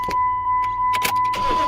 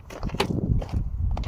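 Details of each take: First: 2006 Dodge Dakota 4.7 L 4x4 after starter replacement for a clicking no-crank; chime ticking, a few quick cranks, then the engine catches and settles into an even idle; starter healthy. Normal cranking and start. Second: 2006 Dodge Dakota 4.7L 4x4 (no-crank and overheating complaint), test light on main starter wire: sharp single solenoid clicks with no cranking, light stays lit; likely failed starter, possibly a bad ground.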